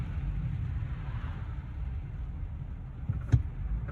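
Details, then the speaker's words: 2015 Ford F350 on a test drive after replacing the front hub bearings, rotors and brake pads. Only soft, even road rumble with no growl, hum or vibration from the wheels. Normal wheel bearings. "So one thing I like doing, first off, can we notice how quiet it is? No more vibration in the wheel. No more noise."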